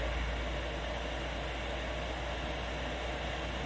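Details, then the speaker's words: 8 kW Chinese diesel heater installed in a static caravan, temperature rising: steady even jet-like roar with no pulsing or popping, normal combustion at full output. "that's starting to sound like a boeing 7.7 which is brilliant oh listen to all that heat"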